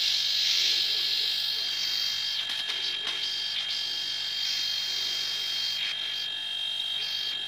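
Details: Even, high buzzing hum with a steady light pulse and no knocking or rattle from a homemade air compressor built from a refrigerator compressor motor, plugged in to inflate a car tire on test. Normal running.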